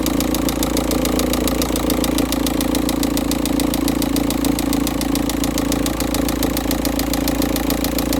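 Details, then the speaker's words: VW Touran 1.9 TDI diesel on a cold first-morning start (engine temp 13.2, thick cold oil): a sharp, rapid, steady knock. With the sump removed, the third cylinder's big-end bearing was found failed: rod knock. "So as you may be able to hear the banging or knocking noise coming from the engine."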